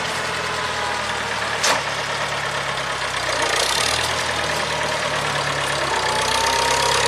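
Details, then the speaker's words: 1975 International Harvester 574 four-cylinder pulling along under way after carb main jet set to 0.055: even, clean engine note with no stumbles or hesitation; owner says it runs good. "[Applause] [Applause] how's the tractor running Harry how's the tractor running good"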